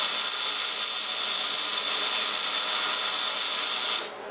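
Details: MIG welding at 16.5 volts, 200 inches per minute wire feed, dragged close with a big nozzle on scaled steel; even crisp frying-bacon crackle for four seconds, then cut off; normal, well-set MIG arc.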